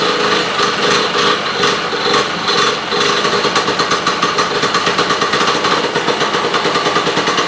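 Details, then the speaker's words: Sno Jet two-stroke snowmobile after freeing bogey wheels, new fuel line and filter, now key-started and fed from its own tank: fast, even buzzy pulsing holding steady without stumbling; starts and runs cleanly. "But for now, it starts and runs and goes."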